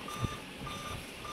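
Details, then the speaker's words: Dell Inspiron N5040 laptop at power-on: three short even beeps repeating continuously with a quiet fan behind and no display; three-beep startup code. "सुन रहे हैं तीन बप तेरा ही है और रेगुलरी continuous give दे रहा है ये स्क्रीन के ऊपर इसका डिस्प्लेस शो नहीं हो रहा तो यही प्रॉब्लम ए रही है"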